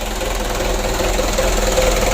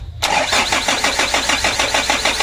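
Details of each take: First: Freshly rebuilt 120 PS 4D34 diesel running in at idle after its first start: steady, even light clatter with no uneven knocks or misses, running cleanly. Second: Freshly rebuilt 120 PS 4D34 diesel with oil and coolant filled and a new air filter: even starter chugging, about six to seven beats a second, no firing; cranked until fuel came out of the injector lines, which are then tightened.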